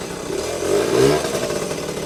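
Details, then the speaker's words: Vintage Yamaha GT80 Enduro (1977–79, exact year unknown), small two-stroke, first start after sitting unused a while, oil just changed, on choke: crackles and revs smoothly, settles back with no misfire or knock, little smoke; healthy running. "Wow, that was pretty impressive. Didn't take long to start, and yeah, these old two-strokes, man, just start right up. Not even that much smoke either."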